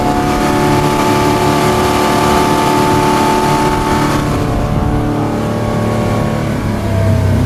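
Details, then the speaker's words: 2006 Bayliner 175, 3.0 engine, throttled up to full throttle: a loud, steady, even-pitched drone with no knocks or rattles. The 3.0 is inherently noisy, as it was made; the engine is healthy. "that's where you can hear the engine noise really come out. Now, with any 3.0, you're going to have engine noise. That's just the way that engine is."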